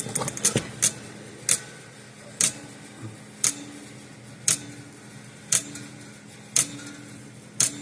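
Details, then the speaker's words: Likely 1950s–60s Parmac-made Sears 6 V mechanical electric fencer with gold-plated points: sharp, slightly uneven snapping ticks about once a second over a faint hum; intermittent operation, connection issue suspected, possibly the red wire feeding the transformer. "Let's close this lid and let's see if it runs once it's sitting there like this. We've got connection issues of some sort."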